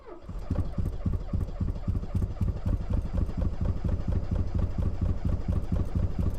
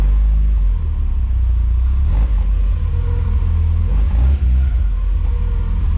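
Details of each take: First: Porsche transaxle car with a 2.0 Audi engine that has failed to two cylinders, driven to the workshop at 8 a.m.: lumpy, uneven chugging at about two beats a second with missing pulses. Severe misfire, running on two cylinders. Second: Porsche with 2.0 Audi engine, replacement engine just swapped in with new timing and alternator belts, checked valve clearances and new front seal: catches quickly, deep clean rumble through free revs to about 5800 rpm, no knock; healthy.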